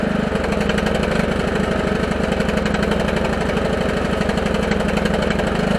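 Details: Husqvarna lawn tractor single-cylinder with electric fuel pump and pressure regulator (earlier setup only ran at full throttle), cold at about 36°F after sitting all winter: even, steady idle putter about four beats a second, no stumbling; running clean.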